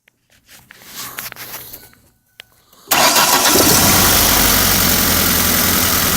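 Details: 2003 Ford Focus ZTW: after a crank the engine catches and settles into a rough idle with a knock about twice a second; owner suspects rod knock, unconfirmed.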